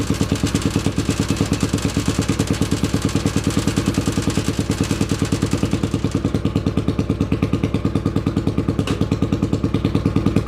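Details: 800cc lawn pulling tractor engine, first test run in neutral with clutch pushed in, air box and half carb covers fitted; deep, even thumping about three beats a second with steady low rumble; normal running.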